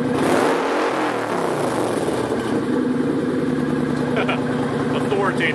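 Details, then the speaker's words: Kawasaki Vulcan 900 Custom SE with Cobra Swept exhaust: deep, raspy V-twin note climbs smoothly as throttle rolls on from idle, firing evenly with no knocks or misses; healthy engine, loud exhaust, normal revving. "Authoritative. I love it."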